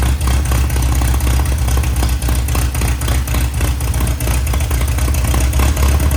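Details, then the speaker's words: 1961 VW Beetle barn find air-cooled flat-four, revived after sitting: deep, even beat climbing cleanly with throttle, no stumble or sputter; revs healthily, pipes all hot. "I'm happy with that. Yeah. It doesn't even sound like it gets a little sputtery with the higher rev."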